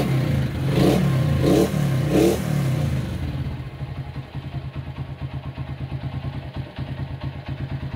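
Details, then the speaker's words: Honda CB100 K3 engine after CDI conversion and rework, at low idle: smooth head, but uneven clattery knock around three per second from the middle of the crankcase; owner suspects crankshaft or clutch; engine mechanical noise. "Ada suara di bagian tengah, kemungkinan keruk as atau mungkin kopling."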